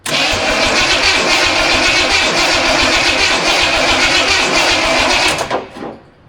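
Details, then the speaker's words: Studebaker first start attempt, carbureted; steady rhythmic cranking about 3–4 turns a second with no firing at all, ignition module (the "brain") left unplugged, so no spark. "Well, that wasn't successful. It doesn't even sound like it wants to go."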